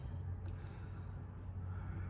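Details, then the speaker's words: 1969 Ford Country Squire running during an inspection: quiet even low rumble, no knocks or misses; runs and sounds good, only needing fluids, plug wires, minor resealing, a pump looked at and a small transmission leak. "Runs good, sounds good. I would just change fluids and have at it, you know, on the plug wires and all the little things."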